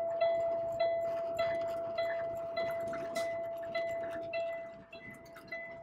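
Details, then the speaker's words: Vehicle broken down near Windsor, engine kept running on the garage's advice: a single high dashboard warning beep repeats steadily about every 0.6 seconds in a quiet cab, sounding continuously since the morning. "Alors bon, j'aime autant vous dire que c'est énervant ce bip là."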